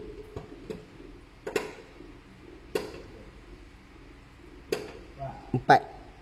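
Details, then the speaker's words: Proton Saga BLM handbrake after partly adjusting one rear brake: ratchet clicks down from five to four, still too many, further adjustment likely possible and both sides to be done. Excessive handbrake lever travel. "4. Okey, dah 4 dah. Tadi 5, sekarang dah jadi 4. Okey, berkemungkinan besar kita boleh adjust lagi."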